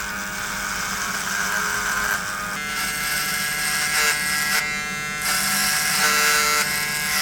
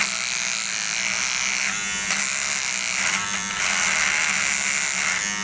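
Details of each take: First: Cordless trimmers (Beardscape, Gamma Evo) cutting horse hair while compared against the corded Wahl Peanut: a steady high buzz barely sags, motor holds speed without bogging, as powerful or more than the Peanut; normal running under load. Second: Wahl All-in-One battery trimmer cutting horse hair: a thin high buzz sags and changes pitch each time it meets bristles; its weak battery and motor bog under load, unlike the corded Wahl Peanut.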